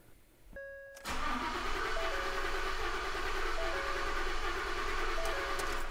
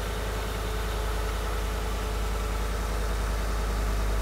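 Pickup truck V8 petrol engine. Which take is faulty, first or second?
first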